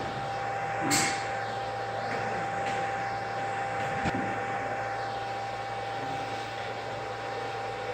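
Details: REGEN-I BK-I300 BGA rework station desoldering a BGA chip from a TV board, hot-air upper heater ramping through 80, 200 and 250 °C profile steps: steady airflow hiss with a faint constant tone, no rattles or surging; normal operation.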